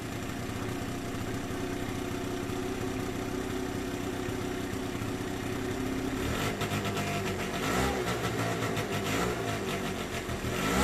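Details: 2009 Yamaha Zuma scooter, ice-cold start after a no-start carburetor cleaning and new charged battery; even idle then clean, quick rises in revs with no misses or stumbles; normal idle and revving.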